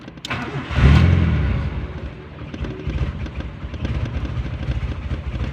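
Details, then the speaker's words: Honda Civic ESi that had suddenly died: after restoring the ignition supply and refitting the relay, a brief crank catches into a firm start and settles to a steady, even idle. "yun na guys, umandar na nga, no? Guys, umandar na."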